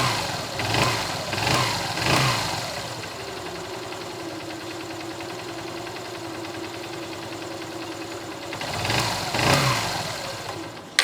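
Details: Motorbike after an engine-noise lubricant treatment: between a few louder thumps it settles into a soft, even idle with a steady low hum and no tapping. The idle is normal and healthy.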